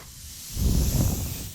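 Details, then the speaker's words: Kubota RTV900 with bed raised and engine shut off: steady sharp hiss with brief low thump, first mistaken for hydraulic pressure loss, actually air escaping from a puncture in a repeatedly flat tire. "I start hearing this hissing sound like we're losing, you know, hydraulic pressure or something's going on."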